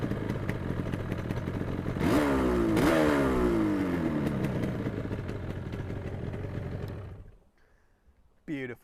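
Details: 1980 Yamaha RD350LC two-stroke, 12,353 miles from new, restored with genuine parts and standard exhausts, recorded outside: it catches quickly, then crisp ring-ding blips rise and fall cleanly before shutting off; normal start-up and revving.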